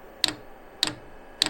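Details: 5 kW all-in-one 12 V diesel heater on pump diesel, first start with unprimed fuel line: crisp single ticks about every 0.6 s over near silence as the dosing pump draws fuel up the line; normal priming.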